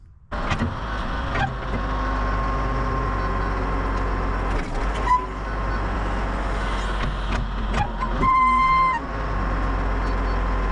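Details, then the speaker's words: Loader bucket pivot pin that was bone dry, just greased with new grease gun: steady engine drone with brief high squeal as bucket drops after loading the truck; about 95% of squeaks gone. "I heard that one when I dropped the bucket down from, like, I'm loading the truck. I'm backing away. I heard it. I did hear it screech on that one. But it is greased."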